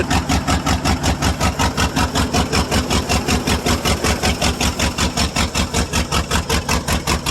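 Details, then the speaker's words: 1995 Ford F-150 5.8 L 351 V8, cold start, catalytic converters and exhaust cut off, blows steam, suspected head gasket or cracked head: heavy lumpy chuffing about 2.5 per second; loading up on fuel, missing on several cylinders. "up on gas bad and not firing on any well probably six of cylinders maybe if you're lucky"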